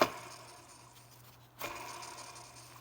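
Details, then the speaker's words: Tensioner pulley removed from a 2005-2010 Chrysler 300 2.7L V6, spun by hand: two quick raspy whirs with a thin squeal as it coasts down, a worn bearing causing belt noise; pulley to be replaced. "here is the removed tensioner i'm going to let you guys hear this sound you can clearly hear that this pulley is wore out"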